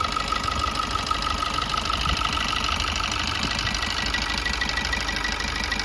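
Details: 2021 Maruti Swift Dzire petrol engine with 118,000 km, after the timing chain was replaced: a smooth, steady idle with light, even valvetrain ticking and no rattle or slap. The timing chain sounds normal.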